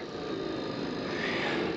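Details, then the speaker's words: Old farm fuel transfer pump, before replacement with Fill-Rite 35 GPM; steady coarse whirring with faint whine rising partway, unable to load fuel; noisy, worn failing fuel pump. "no good so it doesn't look like we're going to be able to load fuel while we're up in The Silo"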